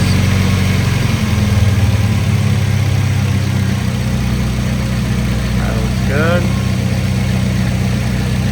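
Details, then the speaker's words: 1993 Nissan 240SX with fuel system bypassed to a good fuel pump, 48 psi then 32 psi at idle: low, steady idle with no misses, faint chirp near end; normal idle, confirming original fuel pump faulty. "Then idle it dropped down to 32. That's a good number we like to see. There we go. Idling good. No issues."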